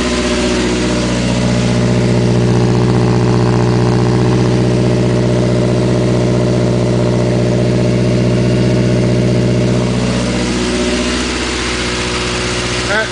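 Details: 1980 Triumph Spitfire 1500 cold-day start, fitted with a carburetor that replaced a poorly running Stromberg; steady, even four-cylinder idle with smooth low hum and no misses or stumbles, normal idle.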